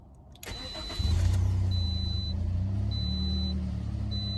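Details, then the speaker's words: 2011 Toyota Corolla, second start with the new starter: a short clean crank catches within a second and settles into an even idle under a chime. The old starter had been grinding and giving sputtery starts. "Way better. Yeah, that starter must have been going out for a minute because it's been doing some grinding and some sputtery starts for a minute."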